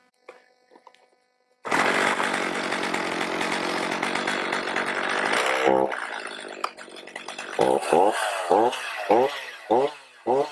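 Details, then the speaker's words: Stihl MS310 chainsaw after no-start fix and carburetor adjustment (H, L, LA screws set by ear): pulls hard at full throttle, settles to steady idle, answers throttle blips cleanly, oiling well. "I can see that it's oiling really well. Show you guys how it runs real fast, and then we'll go cut a little bit of wood."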